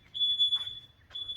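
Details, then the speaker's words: Self-built VW Crafter campervan, power off mid-way through a battery fit: the CO alarm sounds shrill repeated half-second beeps and shows smoke, but no smoke is found. The owner suspects a low battery in the roughly two-year-old alarm. "that's the cabin monoxide alarm going off in the van so first things you do really vent it open your doors let it vent i don't know if that's a low battery or if it's actually full of gas"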